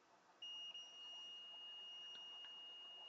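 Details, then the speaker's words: PS4 SAA-001 motherboard with ripped-off 5-pin PSU 5v connector, multimeter probes on underside via and test point: clean steady high-pitched beep for about three seconds, under 1 ohm; continuity confirmed. "the beep? And that's less than 1 ohm. So that means that our via, on the underside, we have continuity there."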